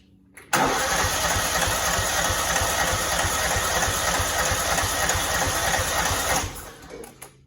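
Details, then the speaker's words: Cub Cadet 2166, 16hp Kohler Command single-cylinder, faulty fuel pump, tank low and tipped: catches and runs a few seconds with quick steady chuff, then dies; owner thinks it needs repeated priming until primed. Hard starting. "I think think I just need to keep priming it a little bit. I think that's kind of the, once it's primed, it's good, but until then, it's not."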